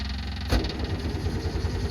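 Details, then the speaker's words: Two-stroke car after sitting in storage, on straight pump gas with rebuilt fuel sender: steady rhythmic cranking pulses but never catches; fuel pump sounds like it's struggling, fuel starvation. "sounds like the pump is still struggling until the valves on"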